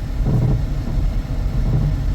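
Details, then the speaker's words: Car bounces excessively on the road test with no transmission fault felt. Dull low thumps and clunking from the front end over road rumble, later found to be a worn sway bar end link. "so that clunking noise in the front is the sway bar end link"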